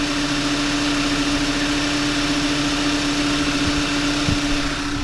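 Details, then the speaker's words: 2011 VW Tiguan 2.0 turbo TSI idling after replacing the plastic coolant crossover pipe and auxiliary water pump, before warming to temperature: smooth, even idle with a steady mid-pitched hum and no knocks, ticks or squeals; normal idle, no warning lights. "everything looks good on it. I'm going to keep an eye on the coolant level and let it get up to temperature and all that stuff, just because we did"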